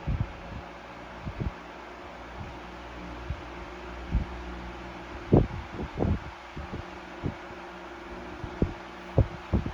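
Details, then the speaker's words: 1973 Frigid (Mitsubishi) GT16-S 16-inch oscillating fan with serviced motor, on high speed: steady low hum with faint rhythmic throb and no rattle; runs smoothly. "No rattle on the high speed."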